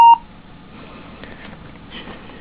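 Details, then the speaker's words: HP dv5 laptop, also with a video fault; single short high beep at power-on with RAM in the bottom slot, none in the top slot; owner concludes the bottom RAM slot is bad; POST beep. "so it beeps in the second slot it doesn't beep in the first slot"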